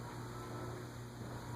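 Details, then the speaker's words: 1985 Envirofan Gold Line industrial ceiling fan model 160F-7 on a solid-state speed control, low-medium speed: steady low electrical hum under quiet running, judged grocery-store acceptable. Motor hum from the solid-state speed control. "How bad is the noise? It's a little hum. It's not too bad."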